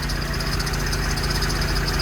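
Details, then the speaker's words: Humvee (HMMWV) diesel idling: steady idle with a quick, regular high chirp from the accessory drive; owner suspects the alternator/generator pulley but is unsure, squeak to be fixed. "i think it's coming from the alternator or the generator pulley over there i could be wrong but one of these pulleys is killing me"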